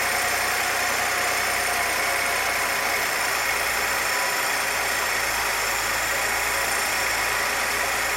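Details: 1966 Chevrolet C20 with 292 inline six, first run, idle mixture tuned by vacuum gauge; steady, even idle with smooth low rumble, no knocks or misses; vacuum about 17, rings still seating; normal idle.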